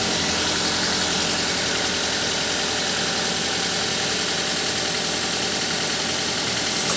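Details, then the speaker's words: Car electric radiator/AC cooling fan running with engine idling: steady rough, hissy growling roar; owner previously traced this kind of noise to dried lubricant on the fan motor shaft. "ya seperti itu suara ngorok dari kipas AC ketika dinyalakan"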